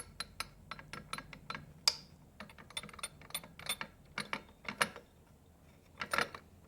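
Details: Rebuilt Triumph Spitfire gearbox turned by hand gives sharp metallic clicks and light irregular gear clatter; synchro rings seem very loose; gearbox clatter when spun, cause suspected, not confirmed.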